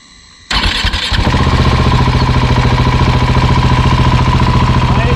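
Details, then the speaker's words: Husqvarna 701 Enduro Euro5 single, rebuilt with new cam chain tensioner, warmed up hot outdoors: brief clatter at start-up then even idle thump with no rattle on top; cam chain healthy, normal warm idle. "also auch im Warm Zustand kein Klappern jetzt ist der Motor natürlich wieder Flatsch neu komplett einmal neu gemacht mit neuem Steuerkettenspanner"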